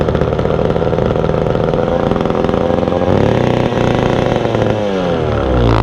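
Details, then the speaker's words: Vintage McCulloch Super 550 two-stroke chainsaw being revived: engine stays screaming at high revs without easing off, then finally drops away; throttle hung up open. After reassembly it idles a little high but runs. "throttle came too hung up on me there"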